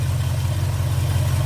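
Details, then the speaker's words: Car warmed up with temperature gauge near 120: deep, even, quiet idle with no ticks, knocks or misses. Normal idle, though a fuel line is found leaking at the fuel pump. "I don't know how good you can hear it, but you should be able to hear it running pretty good."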